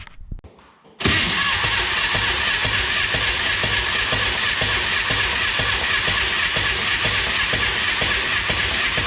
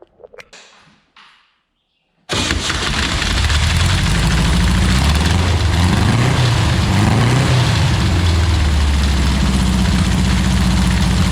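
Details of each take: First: 1962 Berry Mini T kit car with a VW engine, sitting in a garage since 2018, cranks evenly for about twelve seconds without firing. Crank-no-start. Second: 1962 Berry Mini T dune buggy, VW engine, sitting five years, after timing work with distributor 180° out: few quiet clicks, then fires into steady even rumble with mild rev swells; squirrel nest in one exhaust pipe; runs.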